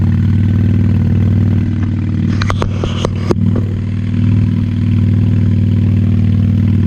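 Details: 1998 Honda Shadow 750 ACE V-twin, sat over 5 years, running after carburetor cleaned: loud, deep rumble with uneven, wavering beat and some clatter, hesitant; pipes likely unbaffled, owner suspects fuel issue from aging gas.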